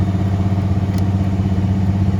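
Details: 1979 Ford Bronco Ranger XLT, first start after purchase, rusty project: rough, throbbing idle with a deep uneven beat and an odd extra noise riding on it; some fault, cause unclear.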